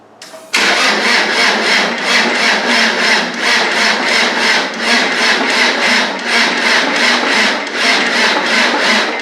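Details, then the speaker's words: Land Rover 300Tdi diesel, rebuilt, key power cut-off fixed, cranking to bleed diesel to injector pipes: sluggish starter at about 2.5 beats a second, never catching; doubtful cranking power from a small new battery, later charged. "Now, when I turn the key, we should be able to get diesel coming out of these pipes. But I don't know if we've got enough cranking power."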